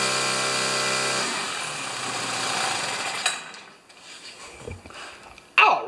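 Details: Craftsman two-stroke string trimmer after broken trigger cable repair, restarted: steady high-pitched buzz, then winds down cleanly to a stop; normal running.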